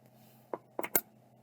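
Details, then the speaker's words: Old hard drive, suspected stiction. Faint electrical hum, then three quick clicks in under half a second and nothing; the drive tries to start but never spins up. "I can hear it start trying to spin but not much more I guess I'll have to mess with this one later as well"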